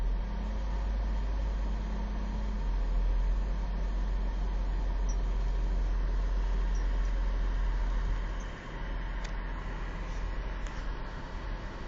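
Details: 2004 Kia Sedona, 76,000 miles: low, uneven idle rumble sags and nearly dies around eight seconds, then catches again. Intermittent rough idle and stalling in Drive or Reverse, cold or hot, no codes or check-engine light; low gas pressure noted.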